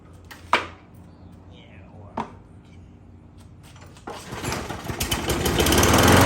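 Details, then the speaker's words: 6.5 hp 21-inch Craftsman mulching mower pulled from a scrap pile, blade straight and no bent crankshaft seen: a couple of sharp pull-start clacks, then it catches and climbs to a steady even run without vibrating, a healthy first start. "okay well that's kind of a shocker guys normally you don't get mowers out of scrap piles that start right up"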